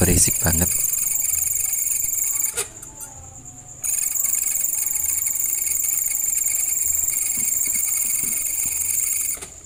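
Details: Maspion electric fan, noisy while spinning, before lubrication with baby telon oil: continuous high, thin squeal over the fan's whirr from a dry motor bearing; dry fan bearing squeak.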